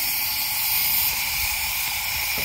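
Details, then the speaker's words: GM L83 V8 in a 2017 GMC Yukon after DOD delete and cam swap; shop air fed into cylinder 8 gives a steady, loud hiss out the exhaust. Exhaust valve not seating; owner suspects a broken valve spring. "I'm going cover up the exhaust for eight that's where it's coming out at which means the valve in there is not seated for whatever reason"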